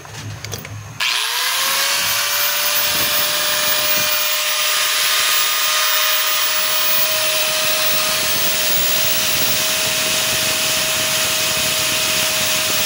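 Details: DeWalt DWE8200PL 4-inch angle grinder test-run after fitting carbon brushes, before closing up: motor spins up within a second to a steady high whine, no grinding or stutter; only small normal brush sparking, healthy.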